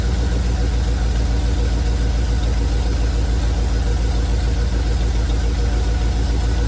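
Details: 1971 Chevrolet C40 truck V8 after carb cleaning and adjusting both idle mixture screws: deep, even low idle burble, no stumble or miss; running really well, blow-by minimal.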